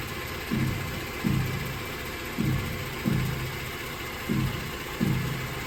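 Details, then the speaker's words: 2011 Ford Explorer makes dull low clunks about once a second, six in a row, while steering. The noise began on right turns and now happens both ways, for months. The cause was found to be the strut coil spring shifting in its seat. Fix: replace the strut assembly. "so we've been having an issue for the past few months in the steering if you turn right it will make a clonking noise it really goes both way now"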